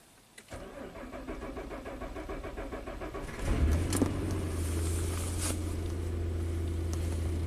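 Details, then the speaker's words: 2011 Suzuki Equator (Nissan Frontier), coolant 20°F, no-start when cold below 20F: starter cranks steadily about three and a half beats a second before catching and settling after key on a while; owner suspects computer warmed up, not confirmed. "Now it actually started. That's because we had the key on for a while. I think the computer warmed up."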